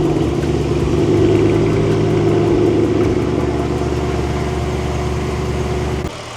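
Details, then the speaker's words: Mercedes C63 AMG 507 edition, started to warm the oil for an oil change: deep even V8 idle, no misses, knocks or ticks, running smooth; lifters noted loud on cold start, serpentine belt ripped and needs replacing; normal idle. "running pretty smooth needs new Ser timee belt though for sure"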